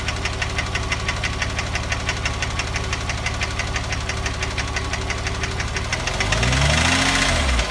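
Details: 2006 Porsche 997 3.8 flat-six idling with a crisp, regular top-end tick about three times a second; owner suspects piston slap (Kolbenkipper) or hydraulic lifters, cause unconfirmed.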